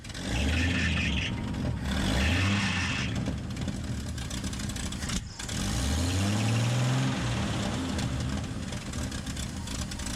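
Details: Engine starts, takes a few clean revs rising and falling smoothly, then holds a steady idle; normal start and idle.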